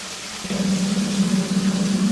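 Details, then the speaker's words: Off-grid water turbine restarting after the failed dam was repaired: water rushes through with gurgling surges and a "turbine fart" as trapped air burps out. The penstock pipe had completely emptied, and air normally takes about 24 hours to clear. "Well, there's water here, but I think it's a case of getting the air out the pipe because it completely emptied."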